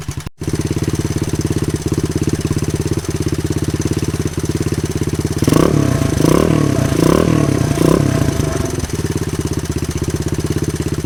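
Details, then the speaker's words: 1983 Honda XL200R single-cylinder dirt bike, first run after 15+ years, burning off old oil, smokes little: quick, fairly even tapping from the top end over the exhaust beat at idle; top end rattle. "it's really cool to hear it run it actually sounds really good doesn't smoke too bad or anything we are burning some stuff off of the engine and everything that's that's been there over the years some oil and stuff uh it does have some top end noise"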